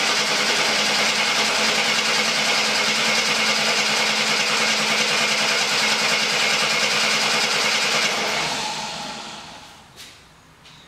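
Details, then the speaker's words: 1972 Jeep Commando inline six, sitting almost 10 years, cranked without starting to build oil pressure: even starter cranking with steady regular compression beats for about eight seconds; turns over freely. "all right so it cranked sounded strong so i'm going to disconnect the fuel line so doesn't suck up any of the old gas"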